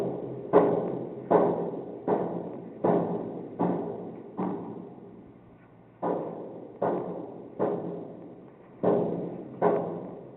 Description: This is the banging noise that woke me up one morning. It went on for several days.